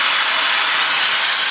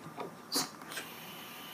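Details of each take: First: Homemade Joe Woodworker V4 venturi vacuum press built with 2-inch PVC tank: at switch-on a loud, steady, high airy hiss with no pulsing or flutter; comes up quickly toward about negative 21 vacuum, normal operation. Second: Joe Woodworker V4 version 2 Venturi vacuum press with a 2-inch PVC "tank" and bridge jig, seal not yet stapled: sharp steady hiss of air for about a second after light handling; vacuum leaking at the seal, which needs tightening.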